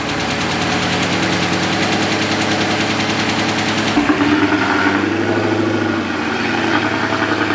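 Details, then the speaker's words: Scat Pack V8 at idle: loud, rapid, even knocking keeping pace with the engine, from a collapsed lifter on cylinder 4, which also had a misfire. "That lifter dropped down, causing all that knock he hears. When the car's on, you hear that knock?"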